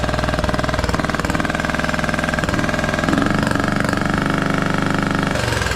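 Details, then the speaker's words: Craftsman T1200 riding mower rescued from scrapyard, first run on old gas with a substitute spark plug: steady hard chugging about four pulses a second with a gurgly, lumpy edge and very high compression; owner suspects valves, plans to check them. "this engine sounds funky I've never heard one of these run before it has like a gurgly sound to it that is crazy crazy compression just seems so high on this thing may end up just checking the valves on this too"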